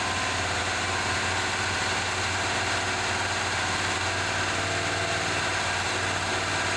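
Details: 1978 Chevy C10 V8 first running after fresh gas added: steady even idle with smooth low burble, no knocks or misses; smoke under hood believed burning off old residue and transmission fluid leak; oil pressure gauge not moving.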